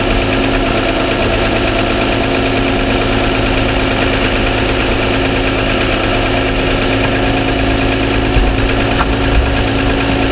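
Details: 2007 Toyota Sienna under powertrain warranty, cold start at idle, mic inside the cabin: fast, light, even ticking under a steady hum; dealer suspects piston slap, considers it normal, and declined repair.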